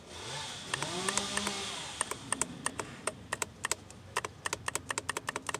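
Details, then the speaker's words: Ford/Mazda 3 2.0 with code P2177, solenoid bench-tested with power: crisp fast uneven clicking with slight arcing, solenoid switches cleanly; normal solenoid clicking. "that's working perfectly fine so obviously we're gonna go ahead and switch these out"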